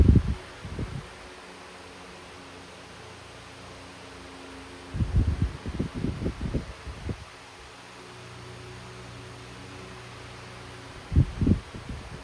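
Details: Hunter 12-inch oscillating desk fan running in oscillation after full-power run: soft even hum with no knocking or ticking through the sweep, a few rustles between; fan runs healthy.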